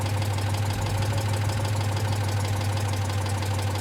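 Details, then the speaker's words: Citroen Dyane/2CV small twin at tickover after fitting a solid-state voltage regulator: steady, even low throb with a regular beat, no knocks or misses, charging nicely; healthy idle. "Tick over. It's pumping it up nicely."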